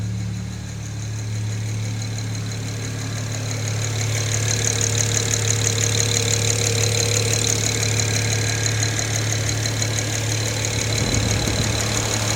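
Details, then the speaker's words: BMW N54 engine at steady idle with a fast, even tick of about three per second over the low engine note; owner asks what is causing the ticking, which knocks, cause unknown. "отсюда как слышно вот это тиканье? Что это вот такое вот может быть, а? От чего?"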